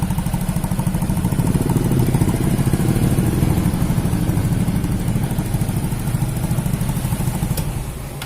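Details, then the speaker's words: Yamaha Mio J scooter idling, oil level normal: steady, even idle with a regular low thump and no clatter or knock. "ehe susah halusnya teman-teman karena belum itu yang dikasih baru coba di lihat dibandingkan dengan video yang awal suaranya ya"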